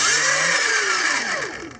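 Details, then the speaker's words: Sur Ron Light Bee e-bike after a wash caused a stuck throttle, dried with blown air: high whine drops steadily as the motor coasts down after throttle release, now returning to off-throttle instead of sticking. Normal motor spin-down. "so now it's it's returning to like off throttle before I was getting stuck"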